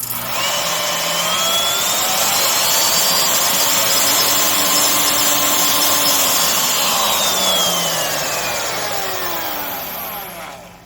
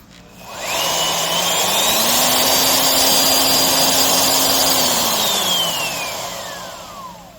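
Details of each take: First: Skil RT1322-00 1/2" digital router, 1680 W 14 A 120 V, before repair: high motor whine, then after switch-off a rough wavering vibration during deceleration from spindle end play caused by loose silicone bearing tension washer, possibly dropped. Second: Skil RT1322-00 1/2" 1680 W router after replacing loose silicone tension washer with proper bearing wave washer: spins up to steady high whine, no vibration or rattle; running smooth and tight.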